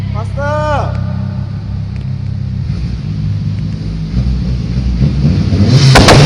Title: 600bhp Evo 8 MR anti lag/ misfire 3